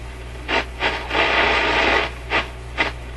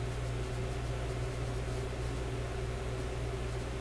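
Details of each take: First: Grundig 2540 AM/FM/SW tube radio under repair, FM section with ECC85 tube, fed 105 V instead of full mains voltage: while tuning, hissy static bursts swell and drop out every second or so and the FM signal comes and goes, with hum present. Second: Grundig 2540 AM/FM/SW tube radio warming up after a speaker wire lead touching a resistor was cleared: only a steady low hum with faint hiss, no clicking or crackle; sounds normal.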